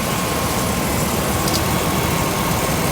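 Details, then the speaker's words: 2015 Dodge Dakota with brand-new replacement engine just installed, first runs, light smoke from tailpipe burning off assembly lube; steady even idle hum, no ticking, knocking or stumbling over shop background; normal idle. "Got a little bit of puppy on the tailpipe, and that's burning off all that assembly lube from sitting for so long. Yeah. Smells good, sounds good, feels good. Yeah, it sounds great."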